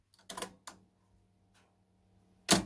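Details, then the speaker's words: Early-1980s Mitsubishi DT-4450 cassette deck: play and fast forward give key clatter, faint hum, then click as it shuts off; spools never turn, caused by broken rubber drive belt. "get a bit of a hum and then it clicks out. We'll try fast forward. Nothing. Well, it clicks out again. No. So there's no, the spools aren't turning."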